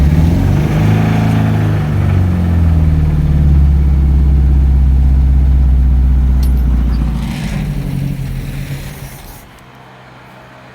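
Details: Cheap Ford Escort MK3 GLE with old-smelling fuel and a cranking problem suspected to be electrical: steady pulse, brief rev, then sags and dies within seconds; owner suspects ignition timing too advanced, not confirmed.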